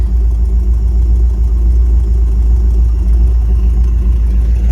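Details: 1954 Cadillac V8 idling after first start, 30 lbs oil pressure, 13 volts charging from an aftermarket one-wire alternator, shifts into gear without hesitation; low even idle with steady beat, no knocks, ticks or misses; healthy.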